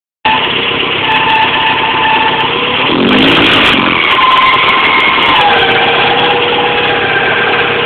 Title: MR2 Screeching / Squeaking noise